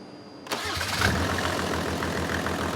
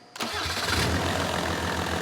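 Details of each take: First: Mercedes OM606 diesel on a test stand after injection pump calibration, following an earlier unexpected misfire: quick crank, clean catch, then an even, steady idle with regular firing and no missing beats. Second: Mercedes OM606 diesel, freshly fitted calibrated 7.7 mm injection pump, preheated: brief crank then very hard start into rough, lumpy uneven idle; traced to a sticking injector misfire.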